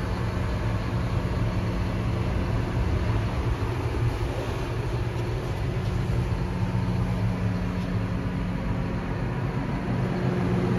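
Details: 2017 John Deere 6215R TLS tractor, 6.8 L six-cylinder 215 hp diesel, 5056 engine hours, DirectDrive 24/24 transmission: steady deep idle rumble, even and unbroken with no knocks or misses; healthy normal idle.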